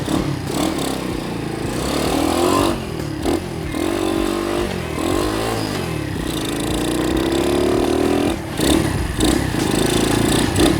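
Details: Restored 1978 Honda CT70 DAX minibike with 110cc engine kit, on test ride around a car park: crisp single-cylinder note revving in quick blips and longer pulls, smooth pickup without misses; healthy engine.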